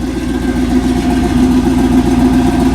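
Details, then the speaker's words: Pontiac Grand Prix with an LSX V8 on Holley Terminator X at first start: lumpy, loping idle with a deep, even rumble and no misses or ticks; a healthy cammed V8. "Listen to her. Man, she sounds good. I can't wait to actually drive this thing around."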